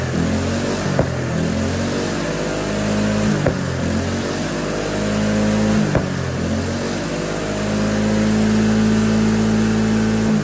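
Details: GX200 Honda-clone single-cylinder go-kart engine on hydrogen with pure water injection: steady drone rising and falling with throttle, a sharp backfire pop every few seconds; much smoother running, especially at operating temperature.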